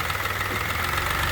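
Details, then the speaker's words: 1992 Nissan Maxima SE, VE30DE DOHC V6, about 106,300 miles, cold start after spark plug change: rapid VTC clacking over idle, oil-starved through small oil passages, quieting once oil pressure comes up. "the famous VTC. Clack. So VTC clack. Clack, clack, clack, clack, it shuts up once it gets it's hungry. It wants oil, so Yeah, the oil passages on these cars are notorious for having small passages for the oil offices."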